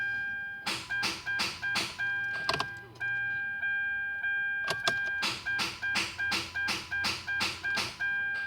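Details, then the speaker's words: 2012 Kia Soul, 85,000 miles, bought new, on a battery charger with the battery reading 12.48 V and dash lights coming on: rapid clicking, about three per second, with a chime and no cranking. Won't start; the cause is unknown. "Yesterday it started, or did not want to start. It's just clicking."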